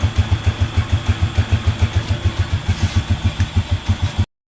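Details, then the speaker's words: Rusi TC 150 motorcycle after fitting TMX 155 parts, reassembling the crankcase and adding oil: steady even low thump about three beats a second, no rattle or knock; smooth quiet healthy idle. "Yan, okay na siya, wala na siyang kaingay-ingay. Tahimik na siya."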